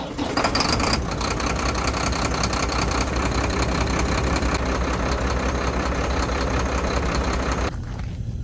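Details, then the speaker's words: Mack MP7 diesel truck, all stock, first start after air compressor replacement: rough, loping idle with an uneven beat like one cylinder not firing; mechanic suspects a failing injector, unrelated to the compressor; dead cylinder misfire. "so this one we got it fired up and I don't know if you noticed but it didn't sound very good it's got a l to it I me it sounds kind of cool almost like it's got a high performance cam in it but it don't it's all stock guys so I'm thinking it's got an injector going out"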